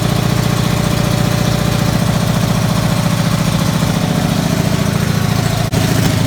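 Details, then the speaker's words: Single-cylinder race car first started in about 15 years (race stickers from 2005), in a garage: barks into life and holds a fast, steady, even beat with no misses or knocking. Runs healthy. "That was really cool to hear that thing start right up. It hadn't been running since then, and that's really cool right there."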